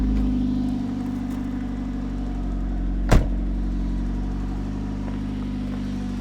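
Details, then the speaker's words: 2007 Ford Focus SE 2.0 after replacing tensioner, idler pulley and serpentine belt, running a couple of minutes: steady even idle hum, no belt squeal or chirp, one brief knock midway, old-engine noises; normal idle. "Alright, so it's been running for a couple of minutes. Pretty quiet as far as belt noise goes."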